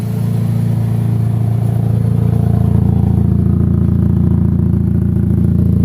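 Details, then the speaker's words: Chevrolet HHR idling, heard at the rear: loud, deep, raspy puttering about three beats a second from a hole in the exhaust before the muffler, making the car loud; check engine light on. "It's loud back here. Oh yeah, right there, YouTube, hole in the exhaust, before the muffler. Son of a diddly, there it is. That's why she's so loud."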